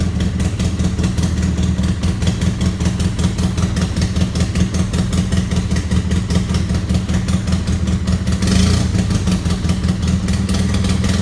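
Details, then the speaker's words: 2008 Polaris RZR 800 EFI idling and briefly revved: loud rattly twin-cylinder note with sharp puffing from a cracked exhaust manifold leak, pretty bad but not terrible. "That exhaust leak, it's pretty bad. Not terrible though."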